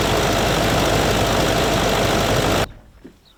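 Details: Range Rover L322 TDV8 diesel V8 with earlier intermittent starting issues, first start after fitting a new (non-AGM) battery: it catches promptly into a strong, even roar with no hesitation. Normal engine start.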